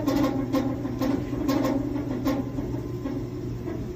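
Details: Samsung top-load dryer, 6-7 years old: low drone with an uneven squeaky warble and scattered ticks roughly twice a second while the drum turns; abnormal running noise, source not pinned down.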